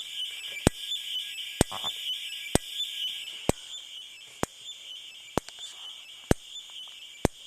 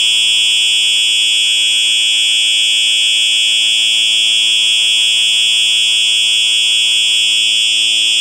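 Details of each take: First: Simplex 4903-9238 fire alarm horn/strobe, 110 candela, 1999 date code: sharp regular ticks about once a second over a steady high whine, strobe chirping like a video game instead of a steady hum; capacitor noise, owner doubts it is normal. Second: Simplex 4903-9238 fire alarm, 1999 date code, horn only: loud steady high-pitched horn with fast even buzzing pulse, slight crinkly sound at end; normal horn sounding.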